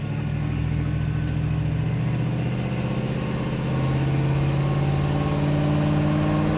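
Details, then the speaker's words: 1965 Ford Mustang Coupe, automatic, accelerating from a green light through all gears to about 55-60 mph; strong even pull, note steps down cleanly at each smooth upshift, no slip or flare. "go transmission shifts nice and smooth there 60 55 M hour this is a nice running nice riding car"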